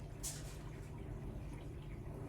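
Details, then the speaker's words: Kohler toilet with flush canister after repair, water turned back on and tank refilled: quiet room with a faint hum and no hiss or trickle; the fill shuts off properly, normal with no running water. "now we don't hear any water running well that's a win in itself look around a little yep no water running"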